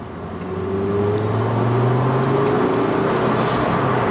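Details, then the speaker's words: Ford Focus RS Mk2 with 400 hp package, first road test after repair: engine pulls up smoothly with an even rising drone and subdued exhaust, no knocks or stutter under load; engine and gearbox healthy. "Good so far. No knocks and bands, no pulling. Engine sounds good, gearbox works."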